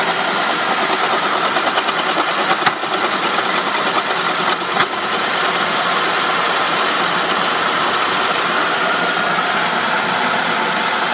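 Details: 2003 Saab 9-5 at idle: a harsh, continuous metallic grinding rasp with a busy rattly edge from the engine, source not yet pinned down.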